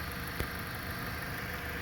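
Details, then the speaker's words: 2011 Jeep Patriot at 190,000 miles on Mobil 1 synthetic oil, due a change in 1,000 miles: smooth, even idle, steady low rumble, no misfires or knocks; slight vibration, owner suspects a motor mount needing replacement. "this is what synthetic oil does to your engine makes it run brand new now it's vibrating a little bit I believe it's a motor mount that I probably got to get replaced"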